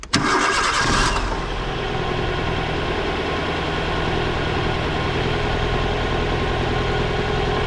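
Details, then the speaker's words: Nissan Micra K11 1400cc petrol starting after its starter motor was replaced; quick, clean crank that catches at once and settles into an even idle with no grinding. The bad starter noise is gone. "Bon ben voilà, un problème de moins sur la Micra."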